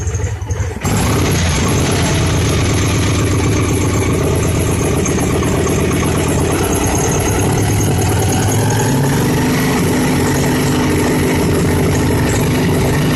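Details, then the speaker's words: 2002 Victory V92C V-twin motorcycle after a TP sensor relearn, fuel controller still fitted: loud, uneven lumpy idle with irregular pulses that never settles; still running badly rich. "and it's running richer than crap still hmm"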